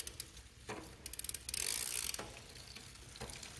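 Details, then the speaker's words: Old Schwinn bike after cleaning, degreasing and lubing the chain, shifted through all gears; soft even freewheel clicking with a brief chain whirr, no grinding, much quieter than before; quiet freewheel. "wow it's so much quieter than before I tell you guys"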